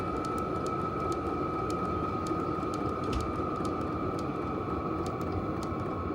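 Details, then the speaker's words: Silvel 5 kW diesel heater on lowest setting, run from a power station, after about 45 minutes warm: even fan whir, faint sparse fuel-pump clicks, much quieter; normal low-setting running. "so now it's on the lowest setting you can hear it get a lot quieter"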